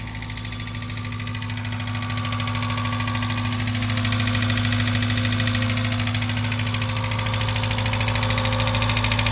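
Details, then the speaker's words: Abandoned Mazda Miata running, with no thermostat or serpentine parts fitted yet: steady idle with a quick, even light tick that follows rpm. The owner suspects a top-end tick that may go away; it is not confirmed. "so it runs it runs not a thousand percent sure on that tick though it sounds like top ends though"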